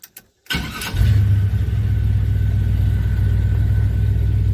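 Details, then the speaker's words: 1978 Chevy C10 with a replacement starter from a 2000 4.3, fitted in place of a truck starter: a brief, crisp crank of well under a second, then it fires straight into a steady idle; the starter sounds much better. "This is a 4.3 starter out of a 2000. Hang on. Did you hear that starter? Man, it sounds so much better."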